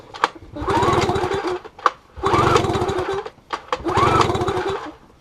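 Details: 15HP Yamaha two-stroke outboard recovered after sinking about a week earlier, water cleaned out, plugs checked and not showing much emulsified oil: three quick chuffing pull-start cranks, each about a second long, never fire; crank, no start.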